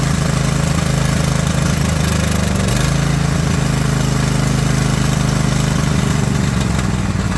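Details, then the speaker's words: Single-cylinder mower engine after refitting the valve spring, retainer and keepers and adjusting loose valves; steady even beat at settled speed with no ticking or misses; runs nice and smooth, like a top. "classify that as running like a top. We'll call that a victory. That sounds nice and smooth."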